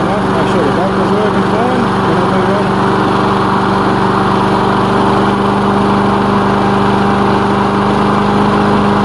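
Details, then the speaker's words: Lawn mower on its initial test run after reassembly and repair: steady, even engine note with a constant low drone and no misses or knocks; running normally. "let's fire it up and see what's what see what happens as you can see it's running fine let's give it a minute"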